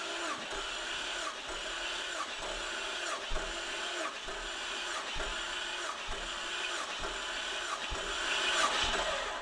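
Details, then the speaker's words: Jeep Cherokee XJ engine cranking during a compression test with the intake manifold removed, reading about 145 psi on a recheck after 142, with 150 on another cylinder, all within range: quiet, steady cranking with an even pulse; normal compression. "Yeah, 145. That's okay. It's within range."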